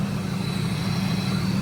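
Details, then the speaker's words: Ford Lightning SVT supercharged V8 after DIY supercharger porting and new spark plugs, idling about 5 minutes before full warm-up: smooth, even drone with audible intake suction, no leaks, grinding or blower noise; healthy idle. "I got her idling it's been iding for about maybe 5 minutes now uh oh yeah I don't hear nothing crazy no leaks"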